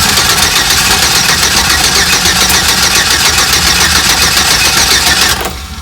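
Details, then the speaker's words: Chevrolet 4.3L Vortec (P0301, zero compression found) cranks fast and steadily without catching after the coil plug was reconnected; the owner suspected timing or rotor off top dead centre, and ignition timing was 180 degrees off. "well unless I have my timing off on my top dead center cuz that could be could be that the rotor is not exactly correct I I'm that's the only thing I can think that this that's why this is not starting she sounds like she wants too"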